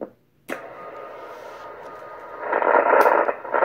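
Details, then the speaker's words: Kenwood TS-120S HF radio, switching to 7 MHz (40 meters) in an initial test: receiver hiss swells into scratchy crackling bursts as the band switch is worked. Noisy band selector switch contacts. "hear there's some noise in the switch here in this band selector here"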